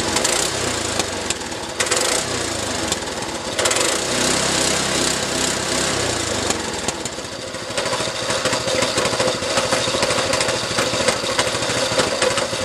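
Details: A small single-cylinder go-kart engine, restored, run with the newly hooked-up throttle and a helper return spring; busy, even rapping exhaust note at steady revs, sounding healthy — normal running.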